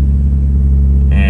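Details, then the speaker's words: Mitsubishi Evo 8, cold, after dry moly lube was applied around the throttle body butterfly valve: steady, even low drone with no hunting, idling noticeably high; the idle screw may still need adjusting. "all right so right now it seems like everything's idling still really high car is cold"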